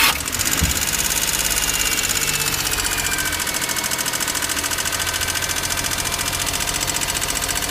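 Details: Daihatsu Hijet S320V engine at idle: fast even ticking keeping time with the engine, a top-end tick; valve lash adjustment done later, cause not confirmed.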